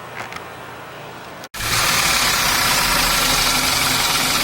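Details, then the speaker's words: Ford Ka three-cylinder engine at idle: steady idle with hollow even knock about four per second; teardown found oil pump and pickup fine, noise from scored piston; fix is removing and rebuilding engine; piston slap. "não causaria o barulho barulho tá na no pistão mesmo beleza"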